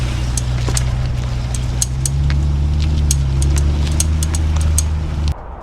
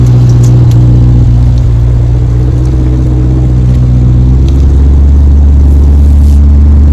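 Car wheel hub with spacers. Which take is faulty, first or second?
first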